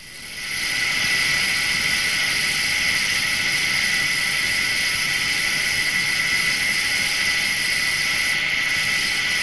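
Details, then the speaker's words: Undamaged 60309 deep groove ball bearing at 2,000 rpm under 20,000 N load, recorded with electronic stethoscope: smooth even hiss with no clicks or knocks; healthy bearing. "first let us listen to the sound made by a bearing in good undamaged condition"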